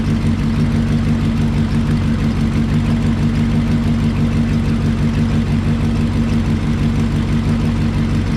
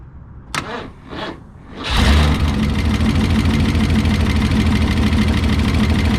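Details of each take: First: 1968 Lincoln Continental 462 V8 after switching to Rotella diesel oil to fix valve tick: smooth, even idle with steady low rumble, lifter tick gone, much quieter. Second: 1968 Lincoln Continental 462 V8 after an oil change to Rotella diesel oil, suspected to cure a valve tick: starter cranks, engine catches and idles steadily with a light fast valvetrain-like tick on top; valve cover comes off again if it persists.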